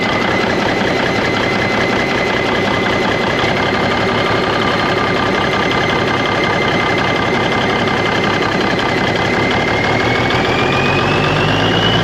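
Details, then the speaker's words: 1991 Freightliner, Cummins NTC-365 with bad throttle lag: uneven lumpy beat and wavering note; rough running, owners suspect air getting into the fuel system, unconfirmed. "now you can hear that turbo just slowing down it it it acts like it's getting air in the system it's sucking air or there's a getting introduced somehow"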